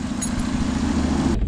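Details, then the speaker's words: After replacing a failed coil pack, taken from the junkyard, to cure a persistent misfire (spark plug wires were new): steady, even low idle with a smooth regular beat, no stumbles, running a lot better; normal idle. "okay there you have it if you can hear it it's running a lot better that's a job well done"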